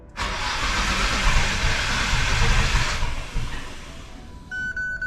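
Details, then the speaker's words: Nissan Skyline R33 GTR RB26 being started with fuel injectors enabled while setting timing with a timing light: fast even cranking for about three seconds, sputters without catching; ignition timing way off, being adjusted. "so way way off obviously so let's try let's try 200. just want to get it just want to get it started without any gas"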